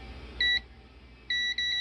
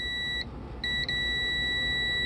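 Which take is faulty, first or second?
second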